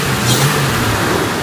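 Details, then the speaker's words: Jeep Cherokee XJ that died, after replacing the crank position sensor and installing a new MSD ignition coil: brief, clean rev that climbs and settles evenly with no misfire, stumble or popping; runs smooth, normal revving. "She's running. Oh man, I couldn't be happier. This thing's running kind of smooth too."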